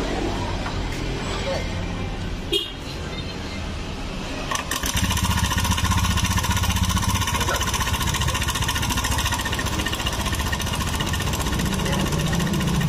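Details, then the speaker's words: Honda Scoopy scooter, about 2017–2018, with the CVT removed: busy, fast metallic clatter over the idle from the top end, diagnosed as the engine's cam chain tensioner (lifter) area. "Ya jelas ya masalahnya bukan di bagian R si Fitri di mesin bagian ah bagian penekan keng"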